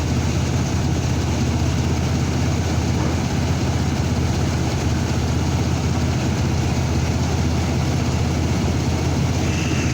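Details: 2002 Chevrolet S10 pickup with P0300 random misfire code, while searching for the fault: heavy low idle with an uneven, loping, stumbling beat; misfire of unknown cause.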